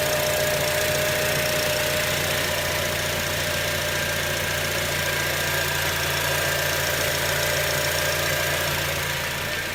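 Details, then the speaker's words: 2006 Acura TSX at idle after replacing the failed ignition coil (spark plug good): even, steady idle with a smooth low hum, no stumbles over ten seconds. Normal idle, misfire fixed. "let me rev that engine. Yes! Fixed!"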